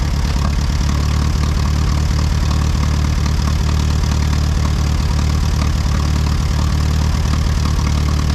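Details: Ford 8N tractor on battery plus jumper pack, with oil checked. A low idle with an uneven, stumbling beat, as if missing on one cylinder; the owner suspects moisture fouling one plug, and it cleared shortly after. Rough running.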